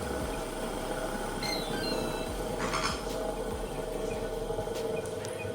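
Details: Hatari Slide Smart L1 18-inch fan running: steady hum with faint, intermittent high squeaks from its two worn, dry motor bearings, fixed by replacing the bearings.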